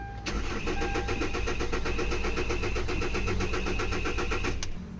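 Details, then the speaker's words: Kia Sorento, D4CB diesel engine, hard start: steady starter cranking about four turns a second for over four seconds with no catch; fixed by cleaning the dirty crank and cam sensors. "so hard start talaga try natin ulit ignition on engine start OP so Ayan po mga kalbaryo kita naman ninyo na hindi talaga umaandar ang makina"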